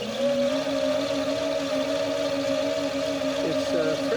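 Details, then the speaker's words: 2002 Kawasaki VN1500 electric reverse/parking motor, friction roller driving rear tyre on throttle: steady droning hum with rubbery whine from the tyre, pitch even; normal friction drive noise. "a friction drive on the rear tyre, which is why you can hear the rubber."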